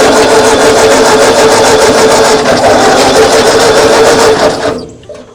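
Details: 1939 Ford tractor that sat in a field 20+ years, old fuel line refitted: starter churns at a steady rhythm, about three beats a second, for several seconds without catching, then stops. Coil hot wire confirmed live.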